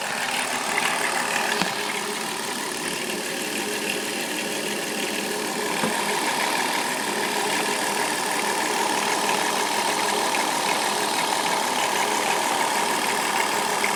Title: Chrysler town and country 3.3 engine rattling noise